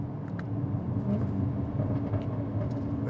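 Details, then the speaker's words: 2017 Jaguar F-Type SVR with stock titanium exhaust: deep steady rumble with sharp crackles breaking through; factory-tuned popping exhaust, nothing wrong. "And normally, I'm not a huge fan of the popping exhaust, but this thing came stock like that, so, you know, what am I not gonna do it?"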